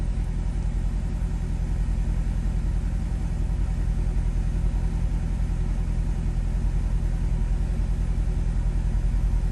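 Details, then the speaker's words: 2004 C5 Corvette LS V8 idling after installing MSD coil-on-plug coils and harnesses to fix a slight idle stumble on the original ignition. The idle is deep, even and steady with no misses, slightly smoother, and there is no check engine light. "So we're gonna start it up and see how it idles. All right, we're gonna fire it up. Idle seems pretty steady."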